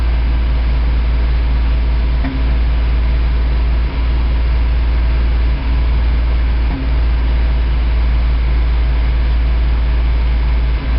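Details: High-mileage 1987 Toyota 4Runner, reman engine, cold start first thing in the morning, clutch in: low, lumpy idle dipping and stumbling every second or two, still misfiring after 3 minutes. Cause: cheap head gasket leaked coolant, cracking the aftermarket head and fouling plugs.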